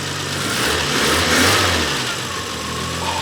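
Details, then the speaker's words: Renault 25 V6 Turbo, cold engine, after ECU/idle control valve repair: petrol V6 idles steadily, pitch lifting briefly and settling without stumbling; before it stumbled and died when cold. Controlled idle; long-term durability uncertain. "yeah it's catching itself it would it would stumble before when it was cold and it's not burning I think I actually fixed it"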